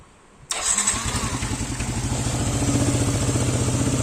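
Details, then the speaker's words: Yamaha NMAX (older model) after cam bearing replacement to cure a very loud engine noise: starts at once and settles to an even, quiet idle with no knocking; normal start and idle. "เงียบเลยครับดังที่มันดังในกอรถnmaxตัวเก่านะครับ"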